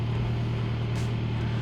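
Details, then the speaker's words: 2013 MINI Countryman after new spark plugs and coil packs fixed a misfire (bad coil pack or plug): steady, even engine note, smooth low hum, no stumbles, idling super smooth and revving without limp mode; check engine light still on from before; normal running. "check engine light is on because i was on from before but it is running smoothly so i think that was the issue we had a bad coil pack or bad spark plug it's idling super smooth right now"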